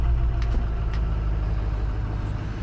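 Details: Ford 6.0 diesel, cold after sitting a few hours, started after extended crank with air in high-pressure oil system, after glow plug repair: deep, steady low rumble, even beat, no misses or knocks; normal cold idle.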